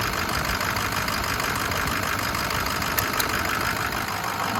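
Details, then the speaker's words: 2006 Ford F-350 Lariat 6.0L diesel, 6-speed, 252k miles, idling with the oil filler cap off: steady, even idle with no puffing from the filler; low blow-by, engine in good shape. "or we can hear the cap hardly any really none so that's what we want this thing's in good shape"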